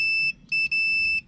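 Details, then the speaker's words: A/C compressor tested with 240 V present and one fuse burned out: a continuity tester beeps from the compressor terminal to ground. The winding is shorted to ground, so the compressor or the whole unit needs replacing. "it's bad compressor needs to be replaced or the whole unit needs to be replaced"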